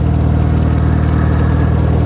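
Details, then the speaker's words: 1974 MG Midget after performance upgrades with a new two-barrel carburetor and vacuum advance; fast, steady idle with an even deep drone, set too high. Owner suspects the distributor was left loose after adjusting the timing. "oh I think I know why the throttle I mean the RPMs are so high at the moment when I adjusted the timing I don't think I tightened up the I didn't tighten back up the distributor"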